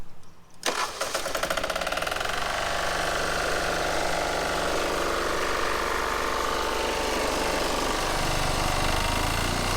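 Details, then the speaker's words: Onan MEP-016B 3 kW single-cylinder military diesel generator, revived and started outdoors to warm up: a quick crank that catches within a second, then an even thump around 210 per minute. A clean, healthy idle. "all right rolled it outside we're just gonna start it up real quick and let it run and warm up so see how quick it starts"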